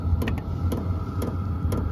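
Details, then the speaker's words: HCalory compact tool box 2 diesel heater, first startup on Bluetti AC180, cold day; switched down to H1, pump slowed to soft ticks roughly twice a second over low fan hum, drawing about 8 watts; normal running at low setting. "Alright, so after putting the setting to H1, the pump slowed down."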